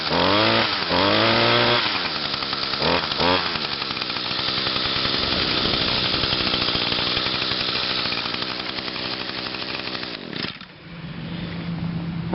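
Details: Echo two-stroke, unused since Friday, started on choke after about five primes on a hot 92°F day: it blips up, holds a steady high buzz with even firing, then drops back, running clean and healthy.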